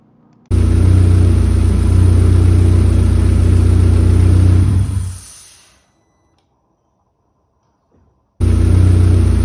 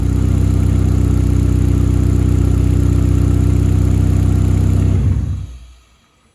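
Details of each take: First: New 1.8T stroker build, hissing under intake manifold that began about 3 minutes into first run as engine reached temperature: steady high hiss, faint hiss lingering after shutdown; vacuum leak from injector seated at an angle in its cup, fixed with proper fuel rail. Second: 1.8T stroker turbo petrol build, after fixing a vacuum leak from injectors seated at an angle by swapping to an aftermarket fuel rail: steady, even idle with no intake hiss; brake-clean sprayed at the injector cups causes no idle change.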